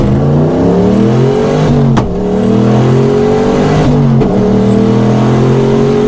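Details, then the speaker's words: Boosted Trans Am at the track after break-in, with new lifters and stock-length hardened pushrods: engine pulls hard, then goes flat near the top. It sounds like valve float, going dead past about 6200–6300 rpm as boost drops. Owner suspects pushrods too short. "you just hear it sounds like valve float so it just hits about 62 63 past that it just does nothing and boost comes down"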